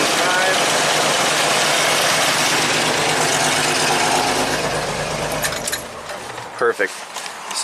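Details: 1985 Jeep CJ-7 Renegade with Holley Sniper EFI, after a diode was fitted: smooth, even idle that dies cleanly about five seconds in with no run-on. Now shuts off normally.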